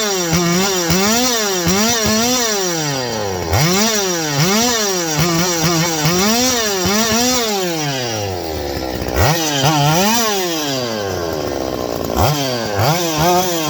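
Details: Stihl 025 two-stroke chainsaw: it screams up in repeated rising sweeps, then sags and falls off each time, bogging after rev-up. A vacuum leak is suspected, tested with squirted 2-cycle mix; unconfirmed.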